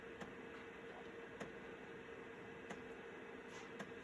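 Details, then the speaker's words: Citizen W1D floppy drive in a Compaq Armada 7770DMT after belt replacement, full-formatting a 1.44 MB diskette: quiet whir with sparse, evenly spaced ticks as the head steps across the disk; normal floppy drive operation. "You never know what you have or how far technology comes until you have to wait on a 1.44 megabyte diskette. But so far so good."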